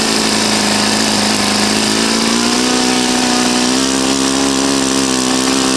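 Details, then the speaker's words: Saito FA-40a four-stroke glow engine, 11x6 Master Airscrew prop, Omega 10% fuel, valves set, high-speed needle starting at 2.5 turns: smooth, even high buzz climbing slightly as the needle is set, no misses or rattles; healthy normal running. "okay all right so rush you can see your inch and it's fine it's healthy it runs properly it's a nice engine"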